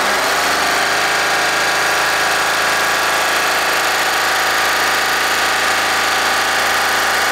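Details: Deutz 3-cylinder diesel, previously hard-starting early mornings, idling after a gravity-fed fuel tank modification: steady even clatter with no misses, surging or hunting; normal diesel idle.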